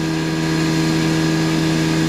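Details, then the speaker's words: CNC milling a steel part at about 4,800 RPM, about 120 m/min cutting speed, with coolant on: smooth, steady cutting hum with an even tone, no chatter or squeal. Clean climb-milling cut, which sounds different from conventional milling. "That's why climb milling is so much better than conventional milling. Well, the sound is not why it's better. It's just one indication that it is better."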